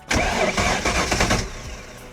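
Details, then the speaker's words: Boat engine in a 1993 Nautique cranks briefly with uneven chugs but never catches, then winds down; fuel now flows but one injector is stuck open, still dripping. "Uh-oh, one injector stuck. But it looks like we knocked them all loose, which is a good sign. But now this one is just free flowing."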